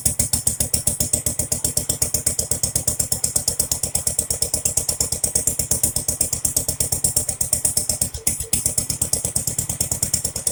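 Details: Jacobsen Chief 800 lawn tractor pulled from the weeds after long storage, first start on an old battery with brake cleaner sprayed into the carburetor: sharp, fast, slightly uneven single-cylinder popping that lasts longer than expected. Owner suspects it reached dirty old fuel.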